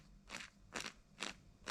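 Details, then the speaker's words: ACME Condor nitro RC car rear end being refurbished, turned by hand: four crunchy gritty bursts, about twice a second; differential turns fairly freely but is empty, dry gears meshing with no oil. "I mean, it is fairly free, but it is empty."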